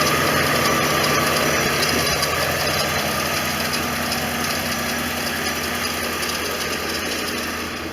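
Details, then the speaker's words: 1989 Corvette V8 at idle after OEM fuel injector installation with throttle body bypassed, choke slow to kick off; light fast chatter of about three to four ticks a second over idle; smog pump chatter, owner expects it to fail next. "I can hear the smog pump. That's going to be the next thing that goes out."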